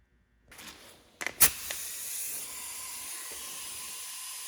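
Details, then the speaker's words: Urceri Compact Impact wrench air line, wrench just reassembled after teardown: steady high-pitched hiss when pressurised from air escaping at a fitting with no Teflon tape on its threads. "The air leak you can hear is just because I don't have any Teflon on that fitting."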